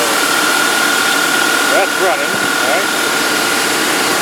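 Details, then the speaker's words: 2001 Dodge Dakota 4.7L, 130,638 miles, after cleaning the idle air control valve, AC on: steady, even idle with a faint constant whine, no surging or dying where it previously ran and died. "this at least is idling before it would just run and die"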